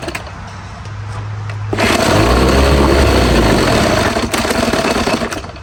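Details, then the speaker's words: Old Evinrude two-stroke twin outboard after years in storage, first run on a test tank: catches and runs unevenly, surging and sagging, dies without choke and won't take throttle; dirty carburetor suspected. "Alright, well, unfortunately on this old motor, I put it on the test tank and it didn't really want to run great without any choke. It kept wanting to die out and it just didn't want to take any throttle."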